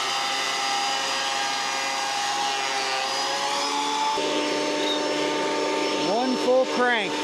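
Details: Roughly 30-year-old planer after repair with replaced knives, test-cutting a board: steady motor whine dropping and settling as the board feeds, even and free of knocks; healthy planer cutting smoothly.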